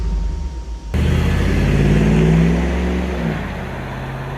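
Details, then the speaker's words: 1983 Toyota Land Cruiser FJ60 with swapped 5.3L LS V8 revving out: deep rumble climbing smoothly through a clean rev and settling back, crisp and even; normal revving. "And yeah, check out these uh couple clips of it revving out so you get a little better idea of just how awesome it is."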